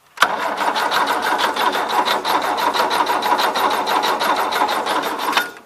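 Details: 1977 Gravely GMT 900 tractor: starter cranks steadily at about three beats per second for five seconds with no firing. Coil sparks but spark is suspected of not passing through the distributor cap; carburetor overflowing fuel.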